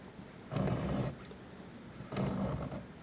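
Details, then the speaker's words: 2017 Maytag WU882 dishwasher that won't drain, motor turned by hand: two brief soft, low rubbing rumbles, not like bearings. Owner suspects a seal or something inside rubbing; not confirmed. "does not sound or feel like bearings it sounds like rubber so I'm wondering if something isn't wrong with one of the seals or something else inside"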